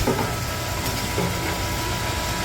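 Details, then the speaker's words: Pitco deep fryer filter pump, lever pulled to pump oil from crumb-filled reservoir through filter back into fryer: motor starts and settles to steady even hum with faint constant whine, no knocks or grinding; normal pump running. "So we'll pull the lever. Hear the motor start, and you can see it's starting to flush back through there."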